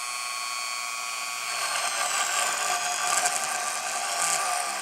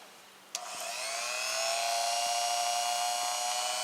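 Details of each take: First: Engindot rotary tool on low speed drilling into wood: the high whine sags in pitch as the bit bites, then partly recovers; the motor bogs down under load. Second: Engindot rotary tool (not a Dremel) on low speed, running free: click on, then a clean high whine climbs and settles to a steady pitch with no rattle or wobble; only slight run-out, normal.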